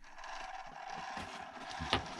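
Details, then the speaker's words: Micro RC truck driven on ESX24 crawler ESC: steady high whir with a couple of sharp clicks near the end; drivetrain noise of unknown source, owner says not from the ESC and unsure whether metal gears are inside. "This noise is not from the ESC, that's, I don't know where it's from. Do I have metal gears inside? I don't think so."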